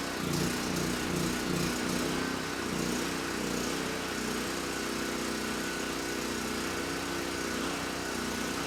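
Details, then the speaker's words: Titan TG8000Z 8000 W generator after carb mixture screw set to two and a half turns out, under load at about 61–62 Hz, 125–128 V: single-cylinder steady, even buzz with no speed swings; engine good, no surging. "not too bad started right up sounds good surging is not an issue and handle the load just fine so we know the engine is good"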